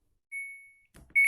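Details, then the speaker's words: Samsung washing machine: pressing start gives a double beep and it refuses to start, while power on/off and all other buttons work; before the reset-button fix, with optocoupler failure suggested if the reset fails. "Halo YouTube, sekarang saya akan melanjut perbaikan yang di start itu tidak mau, pasti bunyi bip 2 kali."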